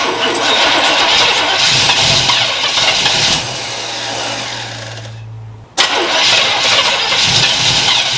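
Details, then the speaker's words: 1977 Chevy Nova small-block V8 that cranked and fired but wouldn't run, after advancing ignition timing: steady cranking, brief pause, then catches into loud rough-edged run; engine now starts, timing still to be set. "oh that's sweet okay so obviously it started"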